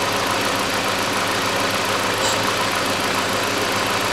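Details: Hyundai Accent 2006, 1.6 petrol, manual, with misfire, detonation and low power. At idle after the throttle body was cleaned, a steady but uneven hissy idle with faint irregular stumbles. Rough idle misfire, traced to the ignition coil.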